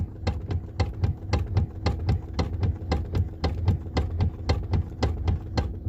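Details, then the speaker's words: Lexus ES350: sharp, regular clicks about twice a second over a low engine hum as the steering is turned; the customer reports steering noise, and the steering is to be opened to find the source; cause not confirmed. "Customer बोल रहा है इसका जो steering है वो आवाज़ कर रहा है, आप लोग सुन सकते हो।"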